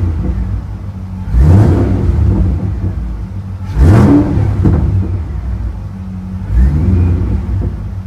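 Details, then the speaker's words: Mustang, hot day, revved in place to warm it faster, not fully warm: three clean throttle blips with crackling pops on overrun; normal exhaust pops, shortly before smoke appeared from the engine. "I'm gonna try to make it heat up a little bit faster just by rubbing it up a little bit act like we're driving a little bit nothing fancy listen those pops"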